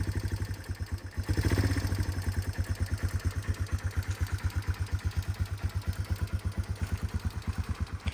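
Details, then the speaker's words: 1989 Yamaha Moto4 200 ATV after valve adjustment, revived after 15–20 years sitting; quick, even single-cylinder thumping at slightly raised cold idle while warming up, no clatter, healthy. "go ahead and start this thing still a little cold we'll let it warm up a little bit"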